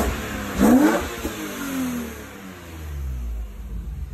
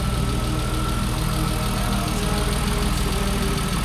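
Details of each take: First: BMW E36 M3 S52 engine at first start under new ownership; sharp rev climbs and falls cleanly to redline, earlier lifter tick gone, engine sounds healthy. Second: BMW E36 M3 S52 high-mileage engine, first start since ownership, warming toward operating temperature: steady idle with a light quick ticking, which the owner attributes to lifters, though injectors were also considered; instant oil pressure.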